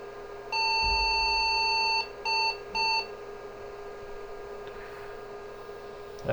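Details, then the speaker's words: IBM 5150 PC build, motherboard newly screwed to case: a series of long power-on self-test error beeps; owner suspects the new motherboard screws since nothing else changed, and after removing them the error message changed (4098) and it booted to BASIC. "just a series of long beeps maybe my screws have something to do with it we'll take those out and try him again because nothing else has changed since the last video"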